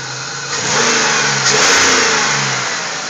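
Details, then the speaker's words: 2000 Pontiac Grand Prix after fixing a bad engine noise, rear valve cover just refitted, valves possibly still needing adjustment: engine revs cleanly and settles smoothly, even tone, no knock or tick; sounds healthy. "i've got to know how will it sound listen to that oh yes it's sounding good"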